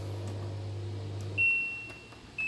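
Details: An LG LD2040WH dishwasher, after repair of the faulty door-closed detection switch, cuts off a low hum, then gives two short high beeps a second apart as it accepts the start command. This is normal.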